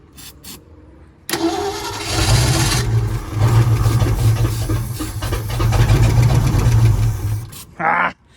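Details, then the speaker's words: 1951 Ford F1 on a jumper box, no throttle, starter churns steadily for several seconds without catching; there is gas in it, but the fuel pump isn't working and fuel isn't reaching the engine. "yeah I mean there's gas in this we just gotta get the pump working"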